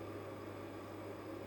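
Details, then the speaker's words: 500 W pure-sine 24–220 V inverter powering a fridge: the compressor first failed to start, then after an off-on restart runs with a low steady hum and faint whine, no stalling; owner guesses a capacitor charged. Meter later showed 1256 W and 52 A peak. "напевно конденсатор зарядився я вимкнув увімкнув і холодильник ввімкнувся"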